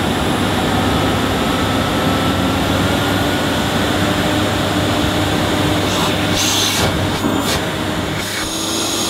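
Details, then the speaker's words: Refurbished Hoover S3716 Sensotronic 1000 vacuum cleaner with an old dirty bag fitted: a steady, even rushing roar with a constant whine, no surging, rattles or grinding. The motor runs healthy. "Well, that sounds fine. Smells nice as well."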